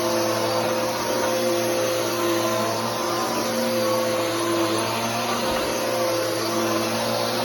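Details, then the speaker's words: Bissell Powerforce Helix 3313 vacuum running: constant motor roar with steady hum and fixed mid tones on top, attributed to drive belt noise. "and that noise is the belt uh but anyways that's the 33113"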